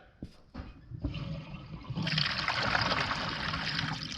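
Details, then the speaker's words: Niagara Stealth two-piece 0.8 gallon-per-flush toilet, newly installed, flush test: quick rush of water into a steady soft swirl, no hiss or gurgle after, no leaks seen; normal quiet flush. "that sounds better don't see any leaks or anything all right we should be good to go"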